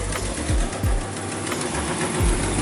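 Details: Truck V8 with no mass airflow sensor fitted: low, uneven, lumpy idle with no steady rhythm; rough-running engine.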